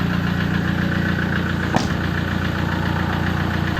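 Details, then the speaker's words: 2004 (B.E. 2547) Toyota Hilux Tiger D4D common-rail diesel at idle: steady even clatter, firm low rumble, no loose knocking; engine tight. Normal diesel idle. "เครื่องไม่หลวมครับไม่มีควันไม่มีไอเครื่องยังดีครับเครื่องยังแน่น"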